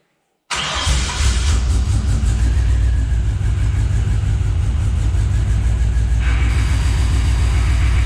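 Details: Scout 80 with junkyard LQ4 6.0 V8 swap, first start after sitting: loud, lumpy, uneven idle with missing beats, a few cylinders not coming in; owner believes several injectors are sticking and plans to track down which ones.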